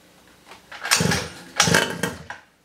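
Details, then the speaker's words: 47cc two-stroke mini pocket rocket bike, first start after reassembly: engine catches in short raspy bursts, revs up and drops back twice, then runs. "okay let's get ready for the first start since I rebuil it well not really rebuil it but put it back together together here"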